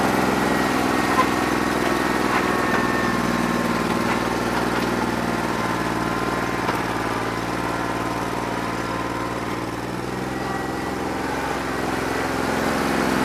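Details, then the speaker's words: New Holland 1320 diesel tractor after three hours of loader work, still not cleared up when hot: lumpy, stumbling idle with one cylinder not pulling evenly, running on about 2.5 cylinders; owner thinks it needs an injector. "We're running on 2 1/4, 2.5 cylinders that don't run too bad. I think it needs an injector, that's what I'm over here playing with."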